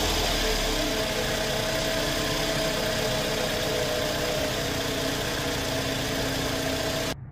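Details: 2008 Scion xB petrol engine, 352,000 miles, at startup around an oil change with Liqui Moly engine flush: busy idle with a fast ticking clatter, loud valvetrain noise; cause not confirmed.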